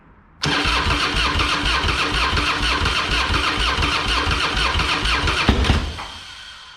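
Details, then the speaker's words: Harley-Davidson Fatboy with Screaming Eagle kit (new heads, ignition, pipe), sat for years, carb cleared, fresh high-octane fuel: starter churns about five seconds with uneven pops, never catches; intermittent firing while cranking. "so it's probably gonna be pretty loud but it's starting to crack off you could hear it let's try it again almost"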